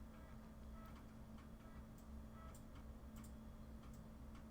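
Soft, quick ticking from the head stepping over a low steady hum; a floppy drive seeking and reading normally.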